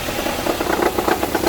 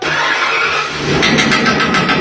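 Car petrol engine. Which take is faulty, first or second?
first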